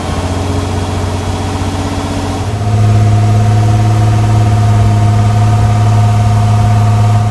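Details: Kit car replica on 1986 Fiero GT chassis, after replacing a valve to cure high idle, in neutral or park; steady hum stepping up in pitch and staying high, tach roughly 1600-1800 rpm, still too high; high idle.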